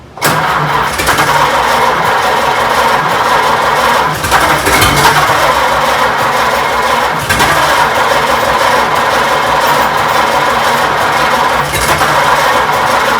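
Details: 1926 Oakland being started after 75 years: steady cranking with regular compression pulses but it never fires; crank no start, cause unconfirmed.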